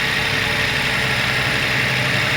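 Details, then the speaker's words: 2022 Toyota Yaris Hybrid after a booster start with a flat secondary battery: the petrol engine takes over with a steady idle of constant pitch, no stumbles, knocks or surging; running properly while the battery recharges. "normalement le moteur thermique est censé prendre le relais c'est le cas"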